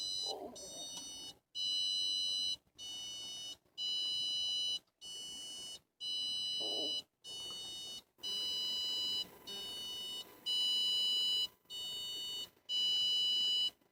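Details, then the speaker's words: 2015 Hyundai Accent in park: a steady run of high electronic beeps, about one a second, continues after the engine is switched off. The strange beeping began this week. Persistent warning chime after engine shut-off. "and that is the strange noise that my car is making any ideas"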